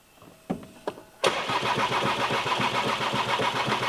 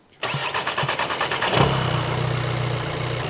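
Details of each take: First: 2017 VW Transporter T5 with camshaft signal improbable (P0341), timing belt suspected: about four seconds of steady cranking at roughly four turns a second before catching and running; long crank attributed to camshaft or cam sensor fault. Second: 2017 VW Transporter T5 diesel with brand new replacement engine after timing belt skipped teeth: starter cranks briefly, engine catches quickly and settles into steady, even idle with no knocks or misfires; healthy.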